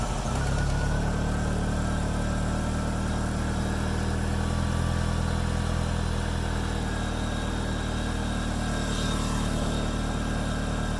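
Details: 2G DSM after fuel filter replacement and fuel pump reconnected: engine catches and settles into a smooth, even idle with steady low hum, no misses or knocks; normal idle.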